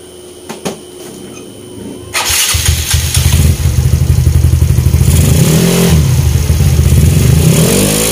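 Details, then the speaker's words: Yamaha Mio Sporty scooter after full CVT upgrade with straight JBT parts: engine catches after a couple of cranks, settles into steady throbbing idle with clean blips, no rattle; runs healthy. "Yun mga boss, okay na yung panggilid natin na straight JBT. Yun, sobrang all goods."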